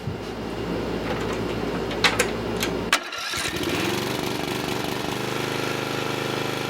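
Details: Murray riding mower single-cylinder after a locked-engine repair, restarted with exhaust refitted: a few clicks and a crank, then a steady even putter that keeps running; owner thinks it still needs a head gasket and fuel line.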